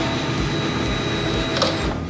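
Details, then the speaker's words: 2022 Harley-Davidson Pan America, new fuel pump just installed (old pumps whine or struggle to prime past ~10,000 miles); key-on prime with little gas in tank: smooth, steady high whir, even pitch, no stutter or rattle, first prime sounded a little weird; normal healthy prime. "Nice and smooth, dude. That sounds good. >> That's a good normal priming. Yep."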